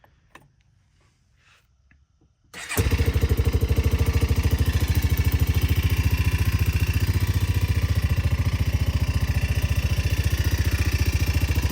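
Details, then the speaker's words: 2000 Arctic Cat 250 ATV, recently serviced (carbs, air filter, oil): catches abruptly, settles to a quick, slightly uneven idle with a light rattle; source unknown, valves needing adjustment or something loose suspected. "So I don't know if you guys can hear that, but it kind of sounds like there's a rattle in there. So like I said, that rattle, besides that, I haven't noticed anything that's wrong with this."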